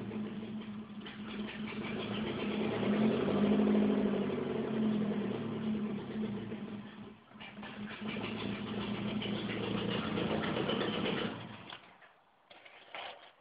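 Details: 1988 Saab 900 Turbo on a cold morning start, hard starting: uneven idle with a steady light valve ticking, then the engine sags and dies near twelve seconds; stalling after cold start with noisy valves.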